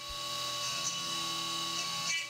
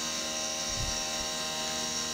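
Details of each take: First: CNC 3D machining an AR15 gas block lightening pocket at 2% step-over: steady spindle whine with sharp chirps every few seconds as the end mill engages full width in right-angled corners, flexing then breaking. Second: Milling the 3D lightening pocket on an AR15 high-rail gas block: a steady high-pitched cutting tone with no rattle or pulsing; this pass runs without chatter, even though the same cut chattered before.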